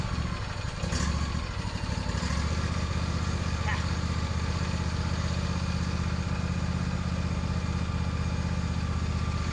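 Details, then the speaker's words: Lawn tractor's first start after winter storage on ethanol-free gas with a recharged battery: a low, uneven chug at about four beats a second that sputters and smokes with the sticking choke still on; rough running on choke. "do your sputtering and smoking over there let's go get that choke off of it"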